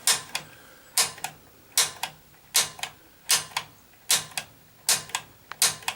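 Sharp paired ticks repeat about every 0.8 seconds in a quiet room; the igniter is clicking normally while the pilot is purged.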